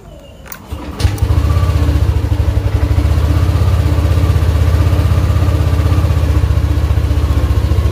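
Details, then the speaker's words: Yamaha Aerox after repairing temperature sensor wiring, resealing the socket and insulating the joint: starter churns briefly, engine catches within a second and settles into steady even idle, no misfire; MIL off, fixed. "Selesai terpasang, tinggal kita coba. Sembuh, dia hilang. aman."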